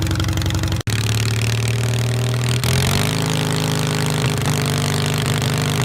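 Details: 1973 SS16 twin revived after two years sitting (carb cleaned, rusted valve freed, parts swapped), first drive with choke and drive belt connected: low steady note settling into even faster run after start, no knocks or misses; normal running.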